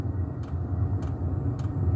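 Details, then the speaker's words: Diesel air heater fed with kerosene, heating a house through a vent in autumn, exhaust outside, initial startup with slight kerosene smell: steady low exhaust rumble with a soft fuel-pump tick about every half second, ticking over nicely; normal running. "that's ticking over nice look oh yeah yeah that's uh that's beautiful that's just what we want"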